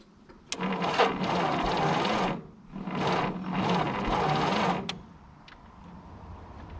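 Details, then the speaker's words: 1951 Willys CJ3A Jeep, last tagged 1969, 6-volt battery: two roughly two-second bursts of even cranking without catching after a small pop; owner suspects flooding and weak spark. "I think we might have flooded it. She doesn't have very strong spark."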